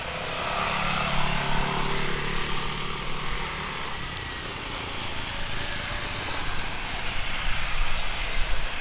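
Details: Speedybee Mario 5 DC FPV drone, Axisflying 2207.5 1960KV motors, T-Motor 5146 three-blade props, test flight after repairing stuttering motors: even motor buzz rises and settles with throttle, no stutter or cutting out; normal flight.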